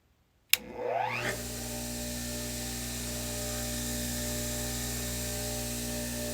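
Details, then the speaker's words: Craftsman electric motor after rebuild with new bearings: quick rising whir up to speed, then steady clean hum with no rumble or grinding; bearings healthy, normal running. "and now with the new bearings this thing spins like super easy let's plug it in let me show you what it sounds like now pay attention to the wind down after we shut the motor off"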